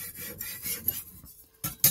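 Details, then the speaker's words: Kitchen knife hand-sharpened on a water sharpening stone: steady gritty rasp each stroke with two sharper scrapes; audible grinding means the stone is cutting properly, not glazed. "one of the signs that your stone is glazed is that it doesn't make any sound at all you kind of want to hear this grinding noise that you can hear now"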